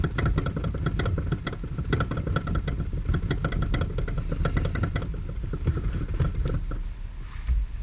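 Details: Lada Kalina, 6 years old, steering wheel rocked quickly back and forth: bursts of dull clunks; owner says the loudest, clearest knock is the electric power steering unit, the rest the rack; U-joints have slight play, don't rattle.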